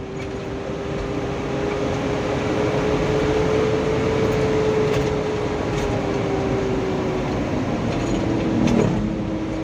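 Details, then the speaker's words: Mitsubishi Canter Euro 4 SHDX diesel truck on test drive under throttle: steady mid-pitched fan-like drone over the engine, fading near the end, yet power still intact; hum source undetermined. "ini kalau saya dengar kan ini muncul suara bengong ya kayak kipas tapi tenaganya ini masih loh masih bisa jalan ini teman-teman"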